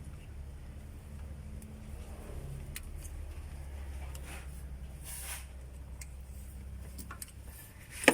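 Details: Suzuki F6A rear-engine multicab, after fixing hard starting from valves stuck open by overheating from near oil starvation: soft steady low idle, even beat, no knocks or misses.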